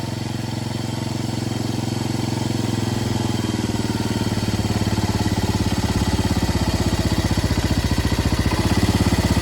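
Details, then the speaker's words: Yamaha 225DX Tri-Moto three-wheeler just revived after a long time not running, listened to at the cylinder head, before an oil change: steady single-cylinder thump climbing smoothly through the rev range, no knocks or rattles. Normal revving. "Listen to that thumping idle. That is beautiful. Goes through the rev range fine."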